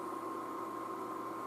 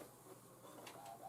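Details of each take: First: iMac G5 in target disk mode, hard disk suspected bad: steady airy rush with a thin constant whistle, no rattle or pulsing; cooling fans running super loud at full speed, normal for this mode. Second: iMac G5 optical drive during an OS install attempt: faint, uneven whirring and rattling with scratchy bursts; the drive sounds rough and fails to do anything, cause unclear.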